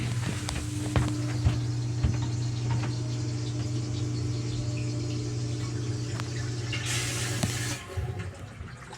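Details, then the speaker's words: Basement sump pump after fitting a fix for banging pipes: pump hums steadily, gurgles as the pit empties, then shuts off quietly with no bang in the pipes; normal cycle without water hammer. "No more banging pipes. Happy wife, happy life."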